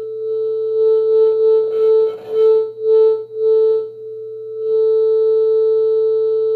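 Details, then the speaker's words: NAD C326BEE amplifier, about five years old, owner reports fading right channel: steady test tone swells, drops out and crackles as the volume knob turns; dirty, worn volume potentiometer, a known NAD problem. "szczęście jest obecne od pierwszej chwili włączenia i sprawdźmy jak zachowują się potencjometry"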